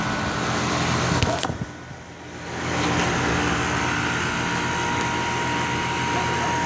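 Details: New 3-ton Goodman split AC system, replacing a leaking 22-year-old Carrier unit, at start-up while stabilizing: after a brief dip it settles into a smooth, steady hum with no rattles or knocks, running normally.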